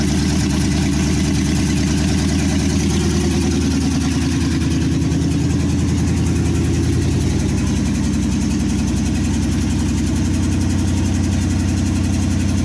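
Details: 1963 Chevy C10 with a 355ci V8 (350 bored .030 over) and Turbo 350, on only its second run after sitting for years, vacuum leaks plugged and timing adjusted: steady, even idle with a regular low pulse, no hiss or hunting; normal idle.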